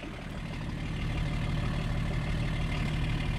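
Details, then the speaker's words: BMW 524td M21D24 diesel that had loud valvetrain knocking, after full valve adjustment: steady, even low idle rumble with smooth regular firing, no knocks or ticks; idling healthily. "it runs really really smooth like no big rolls on itself"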